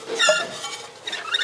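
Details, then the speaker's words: 1956 Chrysler Windsor 331 Poly V8, freshly freed stuck engine turned slowly by hand: two bursts of short high chirping squeaks; owner suspects dry generator bearings and rusty belts, not confirmed; engine turns with little effort. "Generator bearings talking. Sounds dry. Feels good."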